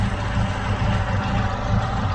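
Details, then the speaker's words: Chevrolet Aveo T250 with added gas equipment, running on petrol: steady low idle with an uneven, stumbling beat; one cylinder dead, injector coil intact but test light shows no control pulses to the injector. "Тут також плюс є але не бачу щоб були якісь сигнали якщоб сигнали були то світлодіод повинен блимати а їх немає не на одному дроті не на іншому"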